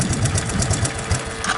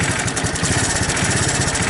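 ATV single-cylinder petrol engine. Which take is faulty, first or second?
second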